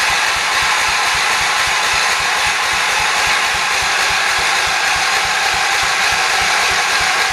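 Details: 1978 John Deere 208 tractor after head gasket replacement, priming fuel poured into the carburetor: steady even cranking pulses with a rattly whir, never catching; cranks but won't start, owner suspects weak battery or fuel pump not delivering gas.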